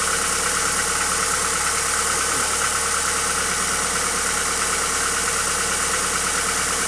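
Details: Hyundai Accent engine at steady idle with a loose knock, roughly three per second, over the engine noise; cause not determined.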